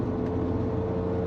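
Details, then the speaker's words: 2016 Ram 2500 HD 4x4 pickup while driving: a steady growling, howling drone like a low-flying airplane under the road noise; tires are in good shape and not unevenly worn, so a wheel bearing hub assembly is suspected. "this Ram 2500 HD four-wheel drive has a growling noise coming out of it and I'm pretty sure it's not my stomach but it always pays to play it safe"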